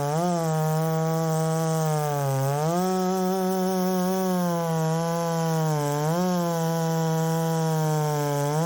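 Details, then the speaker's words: Ported Poulan 3750 chainsaw at its previous tune: high buzzing idle that keeps surging and sagging every few seconds and won't settle. Richening it makes it load up; cause unconfirmed. "I think that that I mean it's not wanting to settle down and then whenever I rich it up to get it to settle down it loads up"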